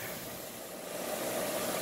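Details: Old restored IR bench grinder that had been overheating, pushed hard under heavy load: steady, even whir that doesn't bog down, so the capacitor is working. Normal, healthy motor running.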